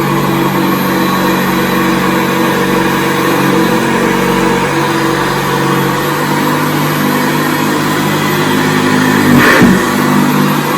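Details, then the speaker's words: 1978 Hoover Senior Exclusive U4058 upright vacuum cleaner after repair and restoration, original belt kept: steady, even motor hum with constant tone and no rattles or belt slap; runs healthy and lifts off the carpet. "No belt, mate. I think as well we did keep the original belt on there, and as you can hear that, he's lifted it off the carpet."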